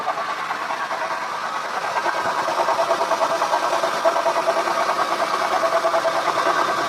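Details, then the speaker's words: Acura TL at idle before repair: a pulsing mid-pitched whine rides over the engine from the power steering pump, which also leaks; owner suspects shaft play, though the car drives fine. Worn pump. "It does have a bit of noise coming from it, and I'm pretty sure once I get the belt off I'll be able to wiggle it back and forth. It should have some play in it."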